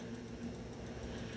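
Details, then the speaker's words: Midea microwave not heating, magnetron under test: a strong, steady low hum keeps going instead of a brief start then quiet; faulty magnetron. "Esse daqui tá com barulho forte também, ó. Ó. É para ele fazer isso e parar esse barulho, pessoal. Mas ele continua o barulho, ó."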